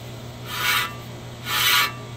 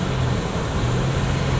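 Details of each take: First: 2008 Nissan Xterra rear-wheel-drive, front wheel spun by hand on jack stand after front brakes and rotors were replaced: repeating metallic scrape once per turn; bent dust shield rubbing the rotor. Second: 2008 Nissan Xterra 2WD, driving after inspection for front scraping noise, wheels torqued to 100 ft-lb, front brakes and rotors recently replaced: only steady road and tyre hum at cruise, no scrape; simple fix, not wheel bearing.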